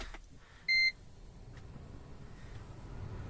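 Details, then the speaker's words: Toyota Prius hybrid with 332,000 miles, keyless start: one short, high beep in a quiet cabin as it switches on. This is the normal ready chime and the car is ready to drive. "ah voila he's ready to go"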